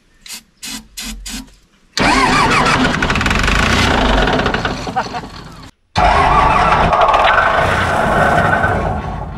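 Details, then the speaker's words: John Deere 755 turbo diesel track loader after sitting over 20 years, ether sprayed in because the fuel lines aren't primed: heavy diesel churning on the starter in long pulls, not catching on its own. "I'm just going to go ahead and just spray a little bit of ether in there just to see if it will pop off cuz I don't want to burn the starter up by trying to push the diesel all the way through all these lines"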